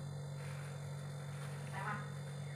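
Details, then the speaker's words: Panasonic inverter refrigerator reported not cooling (fan runs, board not powering compressor), on-site repair: after reassembly and plugging in, compressor runs with a smooth steady low hum, no clicking or rattling; clamp reads about 0.7–0.8 A; normal compressor running. "Rồi sau khi mình ráp cắm điện vào thì anh em nghe tiếng block mày chạy nha mọi người."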